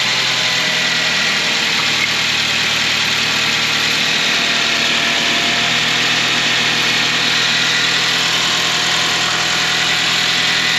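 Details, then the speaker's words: 2006 Suzuki Grand Vitara 2.0 petrol, 230,000 km, after timing chain replacement: a steady, even idle with a smooth hiss and no scraping or rattle. The timing chain is now healthy. "jeszcze silnik to nie ma już tego hałasu"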